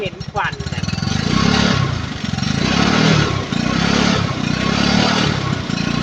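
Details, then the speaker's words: Yamaha Fino with aftermarket pipe, top end previously rebuilt yet still smoking black: single-cylinder buzzing through repeated throttle blips, revs rising and falling cleanly; black smoke puffs appear only when revved, running rich, carburetor/diaphragm suspected. "ถ้าตอนเร่งจะเห็นนะแต่ถ้าปกติไม่เห็นอืจะมีฟันดำออกมาเป็นลูกๆนะครับ"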